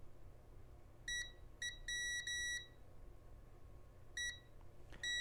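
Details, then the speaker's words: Rotel RSX-1067 receiver with no volume control, volume encoder (24 pulses/rev) tested on pin 1 with continuity beeper; instead of 12 discrete steps per half turn, uneven short and long bursts, encoder shorting intermittently. "it's not acting at all like the trouble control was I've only turned it about a quarter of a revolution and it seems to be shorting out and going open intermittently"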